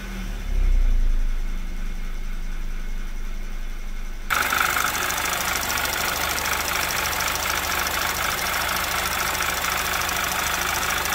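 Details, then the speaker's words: 2011 Audi TT Quattro 2.0T TFSI first run after engine damage repair, oil pressure 40–45 PSI, given some gas: idle then loud rush with light uneven ticking coming and going; noisy lifters going back and forth, possibly still filling. "Lifters are a little noisy. Might just take a while for them to fill up and kind of just figure out what the hell they want to do. They keep kind of going back and forth, which is odd."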